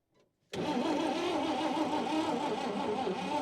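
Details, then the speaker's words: 1953 Chevy 3100 truck, 235 six-cylinder, 4-speed manual, sat for years on a farm: steady starter cranking about three turns a second with no firing; points adjusted while cranking made it worse, no dwell, ignition points faulty, to be replaced. "all right that made it worse all right go ahead yep okay all right so we have determined these points are no good"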